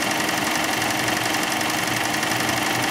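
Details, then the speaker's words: Chrysler 300 at idle, AC compressor jumpered on directly after a no-AC-operation fault; fans kick on and pressures drop: constant rough, rattling knock above normal clutch hum, compressor works but sounds worn and noisy. "man that sounds like mad okay well it works hey the fans kick on my pressures are dropping man that compressor sounds"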